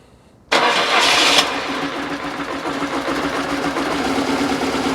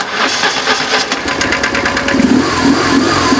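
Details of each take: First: BMW R850R boxer after cam chain tensioner replacement: fires promptly with a brief rev, then settles into smooth, even idle with no clatter or rattle at start-up; sounds healthy. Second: BMW R850R boxer twin just after start-up: quick metallic clatter over idle from cam chain slapping around, prompting cam chain tensioner replacement.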